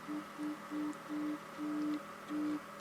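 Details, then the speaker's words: Zenith 6D-525 tube radio at full volume, no line cord fitted yet, after freeing a jammed dial spring: only faint thin tone bursts from the speaker; very weak audio output, cause not yet found. "I got the volume all the way up, and it's still very"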